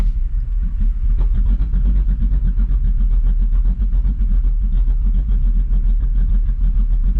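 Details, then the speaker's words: Ford F150 on Multitune, switched via cruise-control resume to tune slot 2, the Ghost Cam lobe idle: a deep idle that chops and lugs down unevenly in a deliberate lopey rhythm, otherwise healthy; lopey cam-style idle tune. "It is chopping, it is lugging down."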